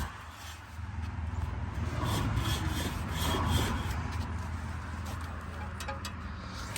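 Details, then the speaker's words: Range Rover Sport front wheel with a new rotor and the brake caliper and bracket removed, turned by hand: a dry rubbing scrape about four times a second, caused by the bent brake dust shield touching the rotor. "So I removed it. Let's see if it scrapes. They're still scraping."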